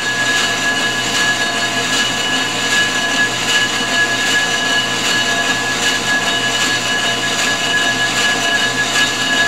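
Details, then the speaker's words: Ford 460 flywheel being faced on a G0776 lathe: a steady high-pitched ring sings over the cutting hiss, tool chatter that grows the further out from the center the cut goes. "a little bit here now you notice the further out you get the more it wants to try to sing that's why I always start cutting from the inside out"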